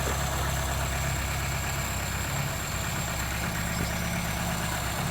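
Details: 1980s Vauxhall hot hatch barn find, first start after long storage, extra fuel given, oil pressure near max, downward tailpipe, exhaust intact: steady, even low burble with no misses, knocks or hunting; smooth, healthy idle.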